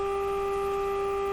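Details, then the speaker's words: Electrohome Cosmic tube radio IF stage test with signal generator modulated 30% at 400 Hz; steady 400-cycle tone with a low rough hum under it, suspected leaky capacitors in the signal generator. "sounds like a lot of leaky capacitors inside that signal generator okay now we're getting somewhere"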